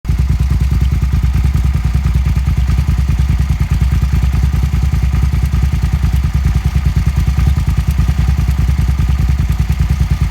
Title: Suzuki sv650 weird noise